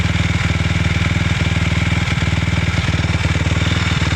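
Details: 2006 Suzuki LTR 450 single-cylinder ATV idling roughly with an uneven beat and periodic stumbles about every second; still has power but backfires, cause unclear.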